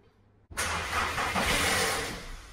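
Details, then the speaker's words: VW Polo 1.2 with a timing chain, cold start after sitting: harsh metallic rattle for a couple of seconds on startup that is gone on a restart. Timing chain rattle, a common Polo 1.2 problem. "that's something that's very common with the polos it is a timing chain problem so the polo 1.2 engine runs off of a timing chain not a timing belt"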